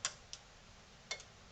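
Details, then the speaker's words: NAD C370 amplifier before repair, at power-on: a few sharp relay clicks as the green light comes on, then it goes out and fades to red. Speaker protection relay drops out. "oh i heard a relay click i've got a green light and the green light just went out"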